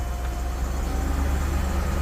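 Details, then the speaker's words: Nissan D40 Navara VK45DE V8 at idle on a newly installed Link G4X ECU: deep even idle lifting slightly when air conditioning is requested, ECU anticipating compressor load; normal idle-up. "if you hear the engine engine RPM increased it's expecting a load the light is on this is good the computer knows and that knows that we push the button"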